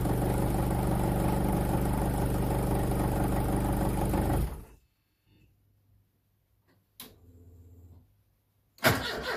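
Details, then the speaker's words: Turbo Pinto engine in Mk3 Cortina, cold start with Link ECU cold-start enrichment raised from 40% to 260%: long steady cranking before it catches rough, exhaust banging on start-up: hard cold start from lean cold-start enrichment. "See that, well, if you can hear it because it's pretty loud, that there was at I think 40%, and to get it to start that time I got all the way up to 260%."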